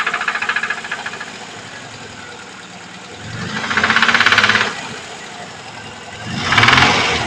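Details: VAZ 2103 engine: sharp rhythmic knocking from the engine, louder on two brief revs. Engine knock, cause not identified.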